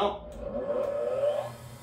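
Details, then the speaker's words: Three-phase motor started on 220 V single phase using a start capacitor, no converter: whirring hum climbs slowly in pitch over about a second instead of snapping up; sluggish start, capacitor size possibly wrong. "well you see where're running it didn't take off right away there's actually a calculation for what cap size you need"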